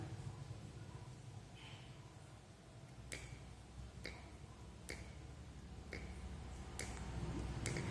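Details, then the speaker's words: 12 V normally-closed (NC) water solenoid valve for an automatic tap, coil tested at 30 on a meter and powered from a 12 V car battery: sharp clicks about once a second over a low steady hum, with vibration felt, showing normal solenoid valve operation. "sini ada getaran selenoid valve ini adalah yang tipe NC ya atau normal close"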